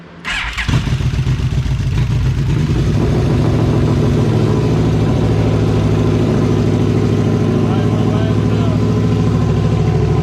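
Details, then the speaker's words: 2002 Yamaha Venture Midnight Edition touring motorcycle after fuel pump, fuel filter and battery replacement and tank cleaning, choke pulled out: catches after a brief crank and settles into a strong, even rumble with no misses or knocks; healthy running. "we got an island pretty good um running everything checked out so now we just got to put it back together"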